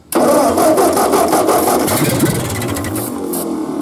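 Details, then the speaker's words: Ford 8N tractor that sat seven years in a field with open intake and exhaust manifolds; spark confirmed, starting fluid sprayed into the carburetor. Ragged, uneven firing pops as it catches but doesn't settle. "yep I think it's going to run yep"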